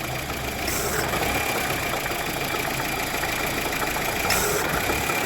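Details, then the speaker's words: 2015 Honda Civic at idle, AC engaged after climate control module replacement: harsh gritty rasp with strained rough running; compressor locking up and not rotating, clutch slipping, smelling burnt, likely worn out. "unless the clutch smell like burning clutch yeah the clutch is probably is wearing out"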